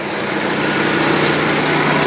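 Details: Zanotti 1400 refrigeration power pack small engine, manual pull-cord start after priming the bulb, before unit switch on: catches and settles into a smooth, even, buzzy idle with no stumbling or rattles; normal idle.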